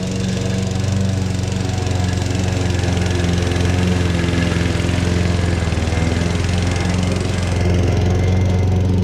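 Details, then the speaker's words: Lawn mower that ran worse than before, after new NGK copper spark plug and carburetor/intake cleaner spray, smoking at first start: steady even single-cylinder putter, no misses or surging; starts and runs much better, normal running. "yep it definitely started better and it definitely runs a lot better now"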